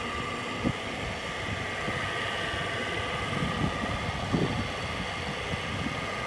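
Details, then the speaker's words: Frigidaire window air conditioner running; steady motor hum with thin constant whine and faint rattles over the compressor drone from worn fan motor bearings; it still runs and blows cold. "It'd be a beast if the bearings weren't bad."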